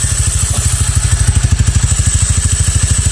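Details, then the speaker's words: Honda Click/Vario 125 with aftermarket direct dry clutch, thicker spacer making it noisier: fast, even thumping about nine beats a second with dry clatter over it once the belt grabs; normal open dry-clutch rattle. "Sa una, medyo hindi pa siya maingay. Pero pag kumakapit na yung belt, solid yung ingay niya."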